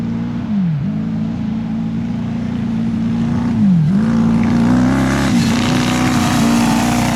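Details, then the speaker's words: Honda CBR1000 engine in a home-built off-road buggy, after gearing and shifter fixes and oil changes. A raspy drone under throttle with uneven pulsing and sagging pitch; sounds like it is missing and down on power, owners suspect it needs cleaning out, cause unconfirmed. "It almost sounds like it just needs cleaned out. Like it's got some junk in the... Yeah, you can definitely hear it's a little, I don't know if it's raspy. a miss, or I don't know if it's... Sounds raspy."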